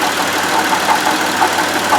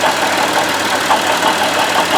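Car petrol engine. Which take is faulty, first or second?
second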